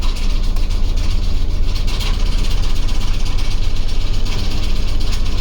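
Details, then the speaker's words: OBS Ford crew cab truck engine idling with normal oil pressure and battery voltage, no warning lights: deep, uneven lumpy throb with heavy shake getting progressively worse; engine running rough, cause unknown. "the oil pressure looks fine the battery voltage is fine everything looks okay it just sounds like it wants to not be in the engine bay anymore"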